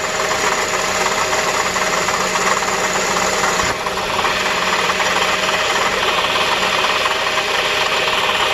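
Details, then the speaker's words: Acura TSX at idle just after a new serpentine belt and tensioner were fitted: constant mid-pitched whine with a hiss over it, no knock; accessory drive whine, owner suspects the power steering pump, not confirmed. "I'm gonna try it start it up now see if there's any noise the hell my hurry now for a certain poem all right so it might be the power steering pump but then again"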